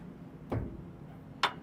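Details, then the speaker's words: S700 combine concave levelling, rotor spun in reverse after front hanger bolt adjusted: two faint single ticks about a second apart, element just touching the concave, front bolt set close before marking and backing off three turns. "so if you heard that that is barely ticked so now we know our front bolts pretty close"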